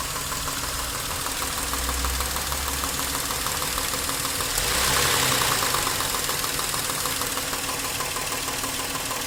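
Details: Nissan Maxima A32 3.0 V6 at idle with a brief rev: sharp metallic ticking about three per second over the idle; engine knock, source undetermined.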